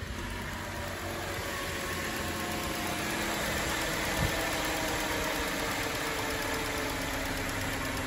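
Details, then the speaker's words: Cadillac CTS with about 100,000 miles on replacement engine (previous motor had bad, loud-ticking lifters): quiet, steady idle with even hum and no top-end ticking; sounds healthy, though oil dipstick later read dry. "so you can't hit no T you don't hear no ticking than that that guy sounds good bro"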